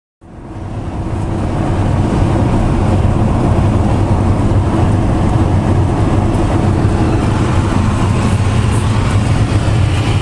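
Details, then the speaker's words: Winnebago Lesharo (Renault-based van) at highway speed: steady loud rushing roar with low drone from behind driver; no air leak, the opening window's metal flange catches wind and resonates. "there's no air leaking in here the sound is in the leak it's just the wind brushing by what I think is the metal rim of the outer wind the one the window part that opens that makes a real annoying sound up front it's just it's loud"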